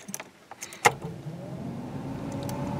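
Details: 1985 Camaro IROC-Z 305 TPI LB9, barn find parked 25 years, cold start at 65F ambient: after key jingle engine catches quickly and settles into a steady, even fast idle with no stumbles or knocks.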